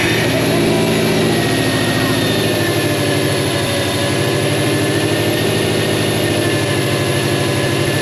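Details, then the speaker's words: Subaru Legacy GT on first startup after an engine rebuild: steady fast idle with a constant airy hiss and faint high whine from an intake vacuum leak at the accidentally pinched intake manifold gasket; power steering pump also whines slightly. "You can probably hear the massive vacuum leak coming from the intake. I pinched the manifold gasket by accident when I put it in, but that's not causing any issue right now."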